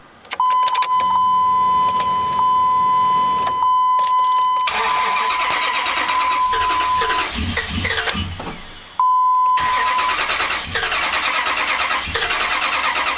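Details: 2004 Dodge Ram that won't start: a warning chime, then two long stretches of steady starter cranking; the engine turns over but never fires. Crank, no start.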